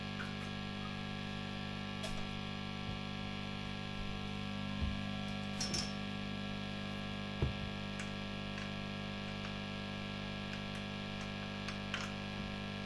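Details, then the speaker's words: Heavily gigged Vox AC30 JMI-era valve amp at first switch-on, no playing: steady low mains hum from aged filter capacitors, which need replacing. The hum lessens somewhat once warmed up but persists. "as you can see it's got quite a bit of capacitance home on"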